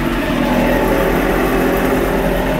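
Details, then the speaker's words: Subaru on a lift, rear wheels turned slowly by lightly pressing the pedal: steady low droning roar with a faint hum from worn, gritty rear wheel bearings, worse on one side. "and that wheel bearing is loud great I got pair of bed wheel bearings I have to do"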